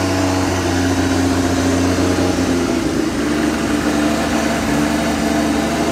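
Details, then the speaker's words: Nissan R33 GTR S1 with a NISMO-built ported head (bigger valves, copper beryllium valve seats) and HKS titanium exhaust, revving healthily: a smooth, even note rising and falling with throttle, quiet exhaust, no rattles or knocks. "And this car, the HKS titanium setup, it's just really quiet. It makes the power, and I like how it sounds."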